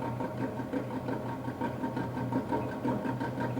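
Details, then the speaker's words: ABC Hansen horizontal stone mill during run-in after parallel adjustment, stones run together via clutch handle and hand wheel: soft constant rasping with a gentle pulse about once a second as high spots rub off; stones bedding in evenly. "run the grinding stones together by turning the clutch handle and turn the hand wheel until you hear a constant grinding sound any high spots will now be rubbed off the grinding stones"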